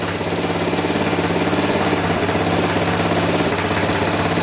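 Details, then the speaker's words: Kawasaki KZ650 engine in a shifter go-kart, after carburetor and valve adjustment: steady even single-note idle with a smooth pulse and no knocks or misses; starts right up and idles cleanly. "so we finally got this thing going it starts right up now bring up the carburetor adjusted the valves and everything works"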